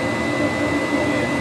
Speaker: Hear the gas, that whistling sound is the gas going through the pipes. All right. So it's heating up the coils of the heat exchanger.